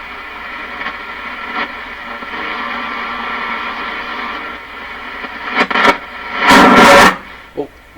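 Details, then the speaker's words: Stromberg Carlson Model 515 radio during paper/wax capacitor replacement, shortwave band near 12 MHz on an antenna: hiss with a steady, slow chugging pulse, unaffected by supply-voltage changes; unsure whether radio or antenna causes it; cause unknown. "so question is is that chugging chugging I guess you could call is that coming out of this radio or is it coming off the antenna"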